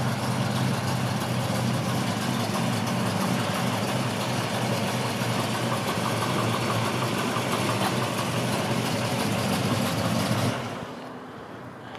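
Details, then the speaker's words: 1965 Ford Mustang coupe, rebuilt 289 V8 with mild performance cam, 4bbl, electronic ignition, dual exhaust: steady idle with lumpy, slightly uneven exhaust beat about three pulses a second; healthy. "so you like like might like to hear that cam a little bit yeah it sounds good doesn't it and it drives nice very strong engine"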